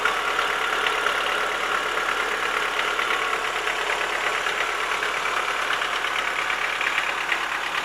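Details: Chevrolet Lacetti 1.6 at idle: a dull, fairly regular knock about three times a second over a steady idle, the kind worn pistons make. Knock was gone after the block was bored and the pistons replaced.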